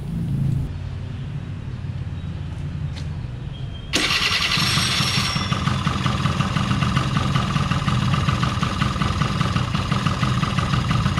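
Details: Honda Dio AF27 two-stroke scooter first start after fitting a new 92 mm TWH variator (replacing 89 mm) and trimming the case for clearance: catches and settles into a steady, buzzy run with an even, crisp note; healthy.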